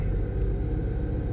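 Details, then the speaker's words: 2001 Nissan R50 Pathfinder 5-speed 4x4 after replacing the alternator with a used OEM unit: even, steady low rumble held at 2000 rpm during an alternator test, no knocks, whine or flutter; engine normal, alternator working. "at at 2,000 and there we have it guys we have a good functioning alternator"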